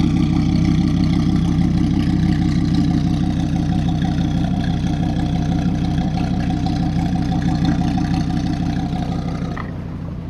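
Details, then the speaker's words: 1998 Dodge Ram 2500 4WD V10, 154,000 miles: deep, smooth, steady idle with even low burble, no ticks or knocks, then shut off; engine sounds and runs good. "Now, okay, this truck is not perfect. It runs great. This V10, it sounds good, it runs good."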